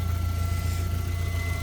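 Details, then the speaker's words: Squeal at idle on a 1992 Volvo 460 Turbo during a front brake job: steady high squeal over a smooth, even idle, loudest at one spot under the bonnet; the part doesn't get hot; source unconfirmed. "Told you, this squealing's going. It's going. somewhere around here. I believe it's this."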